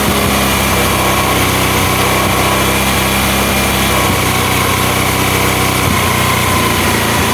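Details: Honda Mega Pro mono after an air leak was fixed and the air screw set, following hard starting and idle dying. A steady, even single-cylinder idle with no hunting or stumbling; clean idle.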